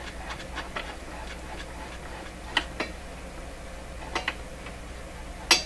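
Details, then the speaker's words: Viking Model 54-51 radio during an RF alignment check. Sharp, dry pops over a low hum as the tensioned dial string slips on its shaft at the end of tuning travel, which is normal. "so you're hearing the string pop that that sound is the string popping on the shot that's the end of the run there"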